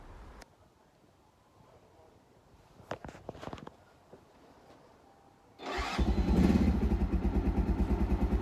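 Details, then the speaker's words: Keeway 125cc with Suzuki GN/GS engine, battery suspected: after the choke was pulled out fully, a few clicks, then it catches and settles into a steady, even putter, about three beats a second; no knocks, starts and runs normally. "as you can hear he did fire up after the choke was extended that little bit extra don't know if I'd worked a bit of fuel into the car but either way twisting that choke seemed to get it to fire up so I was really happy with that sounds pretty healthy no engine knocks no nothing"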